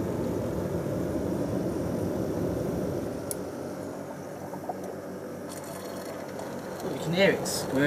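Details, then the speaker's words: John Lewis JLTDH15 condenser dryer running with its condensate tank left full and overflowing: a tumbling hum with uneven gurgling and sloshing as the pump squirts water back. The condenser light has not come on. "squirting away. How has it just not given up and flashed at the condenser light? You can hear it gurgling away."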